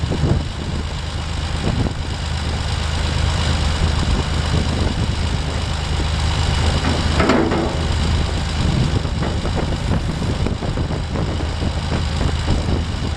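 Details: Massey Ferguson 135 tractor diesel, cranked until oil pressure showed before letting it start: turns over, catches and settles into a steady low thrumming idle with no knocks or odd noises; normal start and idle.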